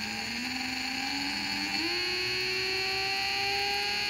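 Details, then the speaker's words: 3D-printed BLDC motor, first run at 20 V without FOC control: high, dentist-drill-like whine climbing in pitch as the motor speeds up, then holding steady; driver transistors overheated and smoked. "sounds like a dentist drill"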